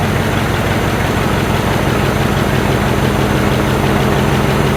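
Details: 1968 Chevy C10 V8 just revived after sitting 15–16 years, running on old fuel: deep burble at idle, a bit lumpy and uneven but it keeps running on its own; good oil pressure, normal running, may need tuning.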